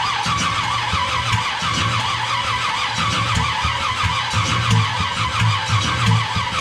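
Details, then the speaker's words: Small-block Chevy V8 nitrous engine on first start, after the distributor was advanced: loud roar with rough, uneven popping and sputtering as it fights to run, sounding like it's blowing out; misfiring, cause unclear. "sounds like it's blowing out"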